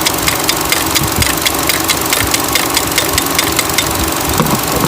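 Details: 2013 Chevy Cruze with MAP sensor and vacuum leak codes: a sharp, regular ticking at four to five per second runs nonstop over the idle; the purge valve is stuck open, not closing, and needs replacement.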